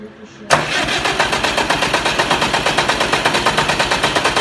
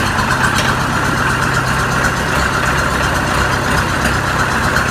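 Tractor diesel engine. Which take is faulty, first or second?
first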